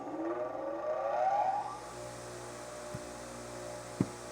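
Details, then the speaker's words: Bench grinder after four-run balance correction, 2.3 g at 0 degrees, accelerometer on Falcon data collector: rising whine on spin-up, then steady even hum without wobble; vibration down from .80 to .122 in/sec, balanced. "I'll take it. That's how you do the four-run balance."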